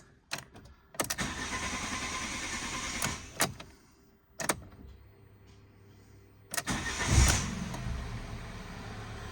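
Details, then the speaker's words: Copart Cat S salvage project car at pickup, around 80,249 miles, starting up; uneven rumbling idle amid clunks, owner attributes rumble to the air intake, unconfirmed. Rumbling noise on start. "I'm making a rumbling noise Ah that's why because the air intake's rumbling hear it"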